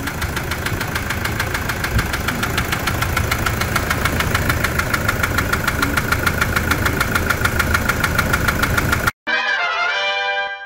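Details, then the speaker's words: Toyota SW4 diesel at idle after a service: loud, fairly even clatter of about a hundred knocks a minute. It sounds like the engine, but it comes from the stuck first fuel injector. "é o bico parece motor né mas não é é o bico aquele bico travado ali o primeiro bico tá com problema"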